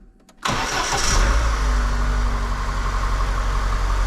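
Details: Lada Niva after a throttle body cleaning and fresh Liqui Moly oil: a quick, clean crank and catch, then a smooth, even idle with a steady low hum and no knocks or misses. The engine is healthy.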